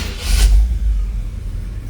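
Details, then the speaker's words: 1963 Impala SS, freshly built mild V8 with 0 miles, broken in and adjusted: quick crank and catch, a short rev, then a deep, even rumble settling into a steady idle with no knocks or ticks; a normal cold start. "Engine has 0 miles on it. Nice and quiet."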